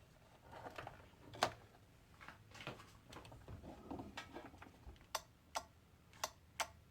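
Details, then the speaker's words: Thrift-shop electric scooter powered through jumper leads: several sharp relay clicks about half a second apart with no motor hum; probably a momentary switch rather than a regulator, and the motor seems to get no power or may be burnt out. "Well, I'm getting a, you can hear it click in there. This is telling me it's probably just a momentary switch instead of a full regulator. You can hear a relay kicking on in there. But it doesn't seem to be getting any power to the motor, or the motor's burn out"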